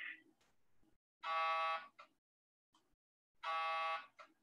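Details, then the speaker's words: Hyperfine Swoop portable MRI scanner on a 110 V wall outlet, running a 3D fast spin echo T2 scan: two even, fairly quiet buzzing bursts about half a second long; normal gradient noise. "that is the sound of a 3d fast spin echo t280 scan you can hear the buzzing of the uh"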